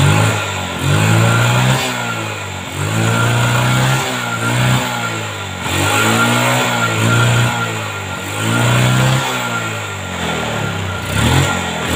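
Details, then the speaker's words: Yamaha Jupiter MX after fixing lost coil spark (regulator and coil already replaced; CDI, wiring or stator checked): small single revs up and settles repeatedly, picking up cleanly with no misses; ignition now fires properly. "nah ini udah hidup ya teman-teman"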